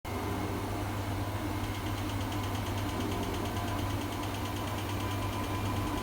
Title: Strange noise